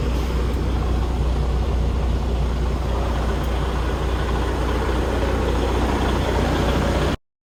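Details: 2020 Freightliner Cascadia after no-crank no-start repair: steady, even low diesel rumble with no misses, knocks or stumbles; normal running.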